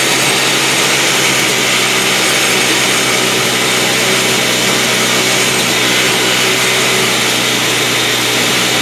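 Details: Toyama TG30FT 57cc two-stroke engine for a drift trike, throttle worked remotely by a grip and cable to the carburetor slide: high buzzy wail held at speed, smooth and steady with no misfires. Normal revving; engine control is working properly.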